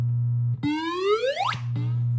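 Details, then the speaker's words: 1978 Williams Phoenix pinball, recapped sound board, sound test number 12: over a steady low hum, the 10,000-point tone sweeps upward for about a second and cuts off. The sound board plays this effect correctly. "let's go to number 12 which is the 10,000 Point sound so now we at 12 see if we can make it do it"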